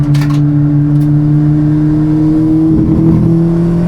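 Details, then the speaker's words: Rebuilt Ford Fiesta race engine after a blown-engine rebuild, on track accelerating in fourth gear; steady drone stumbles and breaks up, with a judder on acceleration. Codes read point to a misfire; coil pack swap planned to confirm. Cause not confirmed. "I'm missing. Definitely missing there. Just read the codes, and the code is saying that yeah, fuel system basically, I'm not igniting, so it's not as bad as we thought."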